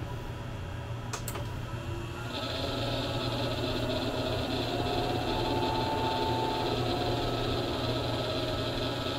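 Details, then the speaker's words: Diesel heater power supply under high load as the heater is switched on: its cooling fan kicks up about two seconds in to a rough, rattly whir with a wavering tone. The power supply fan bearings are worn out. "the power supply supply has a fan in it and it will have to kick up to keep the power supply cool and you will hear the bearings and uh in the fans start to make a bunch of Rocket"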